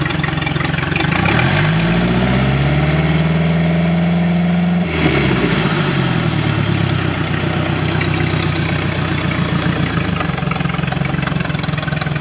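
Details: Sea Ray boat with a MerCruiser 3.0 L engine, final running test after no-start issues: brief revs rise and settle back to a smooth, even idle with no misses or knocks, running normally.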